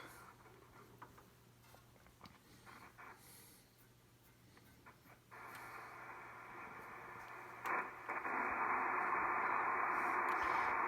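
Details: Drake R4C receiver, early model, dirty with bad switches, tuned to 20 meters sideband: steady band hiss rising as it comes alive with faint signals and a tone near the end; normal reception.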